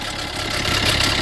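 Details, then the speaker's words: Fiat 500L petrol engine idling with engine and oil pressure warning lights: dry metallic rattle over running sound from stretched timing chain; oil pump chain also suspected. "but obviously that rattling noise yeah that's the chain"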